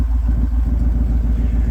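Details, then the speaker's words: Truck with both catalytic converters just cut off, awaiting new headers, 2-inch high-flow cats and 2-inch X-pipe; deep, loud, unmuffled throbbing V8 burble with fast low pulse, sounds like an old Ford truck. "It's so loud though. It sounds like my old truck. That's what it reminds me of, is my old Ford."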